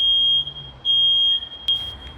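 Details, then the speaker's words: Smoke detector tested with smoke, heard from about 20 m away at the shop door: piercing high beeps in long pulses about every half second, still sounding after a minute, unlike the other unit that shut off automatically. Alarm sounding continuously. "20 metre uzaktan sesi duyuyorsunuz yani 20 metre uzaktan dükkanın kapısındayım dükkanın kapısından nasıl ses geliyor halen ötmeye devam ediyor"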